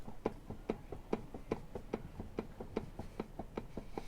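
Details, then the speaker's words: Jeep TJ rear wheel spun by hand in a quiet shop: dry, regular click about twice a second with visible up-and-down play in the assembly; a bad rear wheel bearing, to be replaced. "we need a wheel bearing on this side so if you guys listen to this one that's what a bad wheel bearing sounds like and you can see the up and down movement"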